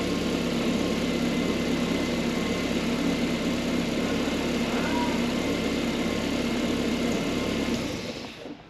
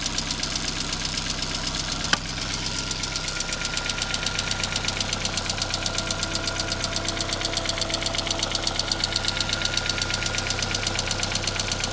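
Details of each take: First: Ford Fiesta MK1 Zetec project car, first start after an engine transplant done because the old engine was noisy, after swapping the coil wires. It settles into a smooth, even idle with a steady beat and no knocks or misses until shut off; healthy. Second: Ford Fiesta MK1 Zetec project, original scrapyard engine that arrived incomplete: sharp, even ticking about three per second over a steady idle, present since purchase; owner suspects ticking valves, unconfirmed; engine later replaced.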